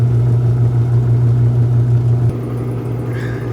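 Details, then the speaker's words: Apartment washing machine with a broken plastic piece, lid lock light on: heavy low rumble with an uneven throb about three times a second, then winding down; runs rough, belt suspected, not confirmed. "Oh, that sounds a little rough."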